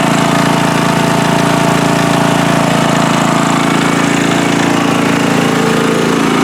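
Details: Free riding mower on a first start test after its gas tank was drained and fuel was added by hand amid flooding: a steady, even single-cylinder chug at constant speed with no misses or surging, running smoothly.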